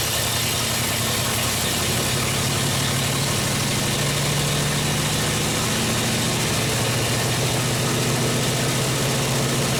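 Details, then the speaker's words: 1970 International 1200 pickup that sat 30 years, first running after cleaning the points: uneven, lumpy idle with no clean rhythm; carb float stuck, flooding and dumping fuel out the air vent; carb needs rebuilding. "Plug's sticking, I think. Float stuck in the carb. We're just overflowing, dumping fuel out the air vent."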